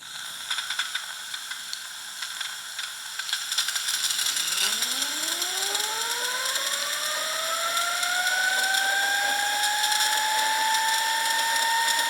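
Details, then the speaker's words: Wilesco T115 model steam turbine, shaft turning counterclockwise, with a leaky whistle; steam hiss, then a clean whistle that climbs and levels off high. Very little vibration. Normal running. "That's just a really interesting sound. And there is extremely little vibration as you would expect."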